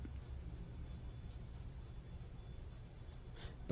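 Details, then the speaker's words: Troy-Bilt string trimmer gear head, cleaned out and turned by hand: quiet gritty bursts about three times a second, rasping each rotation; one of its two bearings is extremely crunchy, the other frozen solid; head is junk, needs replacing. "that's really crunchy. The actual head itself, well, it's got two sets of bearings, and this one extremely crunchy, and this is frozen solid."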